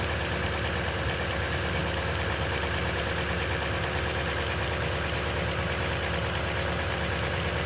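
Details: 2010 Toyota Tundra, 165k miles, oil changed every 5,500 miles: fast light rattle over a steady cold-start idle; suspected timing chain noise, cause unconfirmed.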